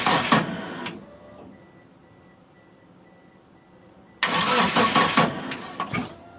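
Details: Mitsubishi Eclipse after sitting about 8.5 years, with fuel, spark and timing confirmed and fuses good, on a weak battery; two fast, even cranking bursts with a pause between, never runs; owner suspects the crankshaft position sensor and plans a vacuum test.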